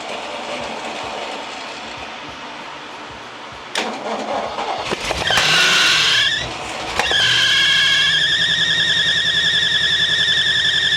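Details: 1965 Mustang GT convertible at start-up after replacing belt and fitting Tuff Stuff 7068K 140 A alternator: sharp, high, steady squeal over running engine; belt drive suspected (earlier suspected alternator bearing or pulley), source unconfirmed.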